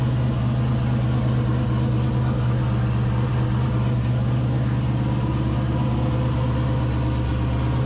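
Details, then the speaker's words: 2000 Camaro turbo 5.3 V8, 190k+ miles, stage 2 cam, Holley Terminator X, first start after redoing backwards-installed head gaskets and new radiator fan/shroud, no hood: steady even low idle rumble, no misses, knocks or ticks; fired right up, healthy. "that fired right up no problem I was pretty impressed"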